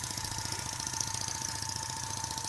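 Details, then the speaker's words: Corsair (Westbury M27) live steam stationary engine on its first run on compressed air at just under 10 psi: quick, even chuff about five beats a second, steady; normal running. "i'll make a proper adapter in a second and it's off and we are running at uh just under 10 psi"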